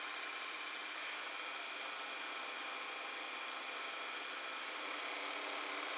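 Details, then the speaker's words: Toshiba M-3285C/M-3286C VCR with a replacement pinch roller, fast-forwarding at full speed after the controller disengages, tape left loaded on the heads: steady, even high whir with no catching or scraping. Normal fast-forward. "and now I will press fast-forward it spins a bit with the controller engaged then it disengages the controller and those who full-speed password"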